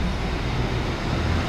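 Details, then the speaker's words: S10 Blazer after repairing a starter motor that was grinding during cranking: engine started well and idles with a steady, even low rumble, no knocks, misses or grinding; normal idle. "motor funcionando de forma agradável"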